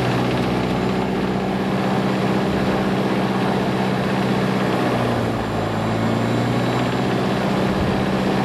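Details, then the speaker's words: Lycoming fuel-injected Mooney M20J after a restart while hot, using mixture as throttle: low, even idle at about 650 rpm with a brief dip, leaned out. Normal idle. "so there it is hot start hot start it's uh 650 RPM so"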